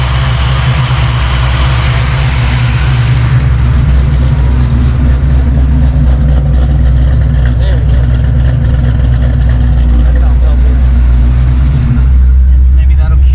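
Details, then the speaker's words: 1989 Notchback carbureted V8 after starter replacement and carb fix, base timing lowered to ease starting and drop idle: deep, smooth, even idle just under 1000 rpm, no miss or stumble; healthy. "just under a thousand is perfect"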